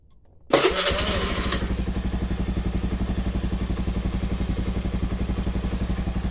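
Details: Honda Beat carburetted scooter, weak pull traced to a leaking carburetor vacuum diaphragm, after fitting the new one: starts at once and settles to an even putt-putt of about four beats a second; idle now normal.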